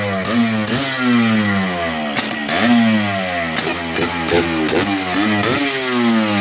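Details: Yamaha Blaster two-stroke, first start after top-end rebuild, air box off: crisp blips, revs snapping up and dropping back every second or so, clean pickup with no bog or misfire; engine runs strong.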